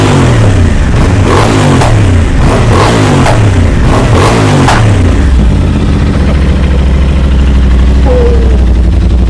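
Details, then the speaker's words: Crash-damaged 2023 Aprilia RS660 during rebuild, first start since acquired, coolant just added: sharp repeated throttle blips rise and fall crisply, then drop to a smooth settled idle; engine pulls cleanly and sounds healthy. "Massive, massive progress. I'm super happy and I'm super thankful that well, as you guys saw, the privilege started right up for the very first time since I've had it."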